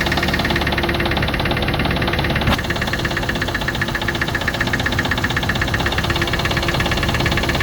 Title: Range rover classic 3.5 v8 engine knock....video after 10secs.